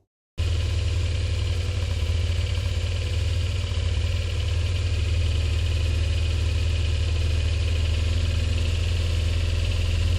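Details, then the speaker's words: Honda PCX scooter, about 280 lb, whose exhaust pipe has broken loose from the engine flange: a deep, loud, blatty idle drone with a raw unmuffled rasp from the exhaust leak. "So yeah, she'll still run, but she's just noisy as all get out, and I really don't need it noisy."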